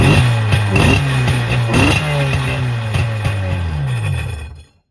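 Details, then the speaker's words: 1996 Tigershark jet ski two-stroke, bought non-running, fuel lines disconnected and a little gas poured down the carb throat with no choke. It rasps and revs briefly, then dies after about four seconds, running on primer fuel only because the fuel pump isn't delivering. "Okay, I poured a little gas down the gullet."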